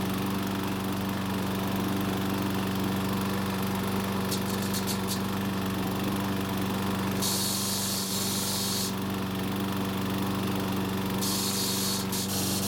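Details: Troy-Bilt overhead-valve walk-behind mower running at steady speed under a harsh, fast, constant chatter; the recoil starter was rattling against the spinning engine, found to be the cause of the noise.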